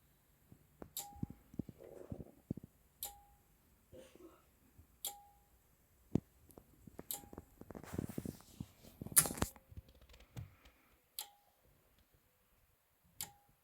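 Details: Anker Solix C1000 power station, firmware v1.5.4, in UPS mode on AC with routers plugged in; sharp click and short beep about every two seconds as the charging relay cycles; owner suspects it starts charging near 100% SOC then stops; happens at other SOC too.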